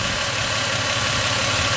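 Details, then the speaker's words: Toyota 5VZ-FE 3.4 L V6 with 280,000 miles, warmed up, idling at about 715 rpm on the scanner with AC off so no compressor cycling. Low, even hum with a steady beat and soft hiss, no ticks or misses; perfectly settled, healthy normal idle. "with the ac off otherwise we will hear the cycling of the compressor and the rpm will be coming up and down but perfectly settled it's pouring like a kitten right"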